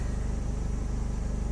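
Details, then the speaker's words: 2006 Hummer H3 with inline 3.5L, idling at night after MAF sensor and throttle body cleaning that fixed a rough idle: smooth, even low idle pulse with no stumbles or hesitation; normal idle. "I can honestly say that doing the mass airf flow and throttle body has uh there's no hesitation in the idle"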